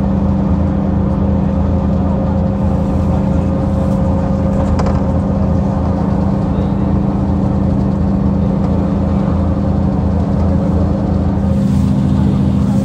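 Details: Recording of a 2009 Mercedes-Benz CapaCity bus (OM 457 hLA Euro 5 diesel, 354 hp, ZF Ecomat 6 HP 602 C six-speed automatic), rarely noisy gearbox: steady mid-pitched gear whine over diesel drone while driving; noisy automatic transmission.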